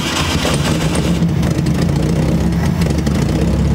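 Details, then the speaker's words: 1968 Volkswagen Beetle barn find, first start after sitting abandoned over 20 years: engine keeps a steady, low, even beat with no misses or knocks, settling into a healthy-sounding run; normal running. "actually runs sounds pretty good that's it ain't good it ain't nothing nice it sounds good"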